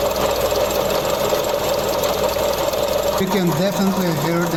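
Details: Mazda CX-30 engine running, stethoscope at the tensioner pulley: a dry, crispy rushing hiss with faint whirring, a noise since starting that keeps getting louder.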